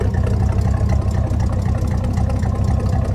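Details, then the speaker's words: V8 engine with homemade exhaust, running before removal, after a cold start: deep, steady burble with an even lope at idle and no knocks or ticks through a loud exhaust; normal idle. "Listen to that. I have to say, it does sound pretty good. I'm proud of myself for the exhaust that I made on this thing."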